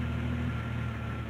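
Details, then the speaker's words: 1990-1999 Jeep Cherokee after replacing cracked ignition coil: steady, even low idle with faint constant whine, no misfire; runs much better than before, normal idle. "it runs actually a lot better than it did which would explain why because there's cracks in the old ignition coil"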